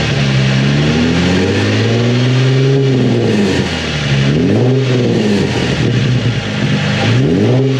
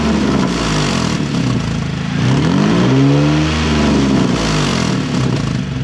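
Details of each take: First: Nissan 350Z with Tomei exhaust after repair of broken exhaust: three clean revs rising and falling smoothly, slight burble on lift-off attributed to back pressure, no puffing or ticking leaks; healthy exhaust. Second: Nissan 350Z with Tomei titanium exhaust, engine warm, mic under the car: revving brings a raspy, puffing blat that grows with revs, an exhaust leak at the stock header flange, which is missing bolts.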